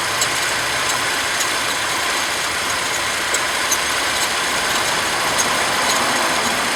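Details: Mercedes W203 with M112 engine: sharp high chirps about twice a second over a smooth idle; serpentine belt chirp.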